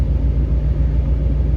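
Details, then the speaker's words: Chevy cab-over van's 350 V8 running after a slow start, an engine that leaks a lot of oil but burns none: a deep, steady low rumble with an even beat and no knocks, misses or ticks. It runs smoothly and healthily. "it's got a really good running 350 in it I'm going to hang on to that for another project"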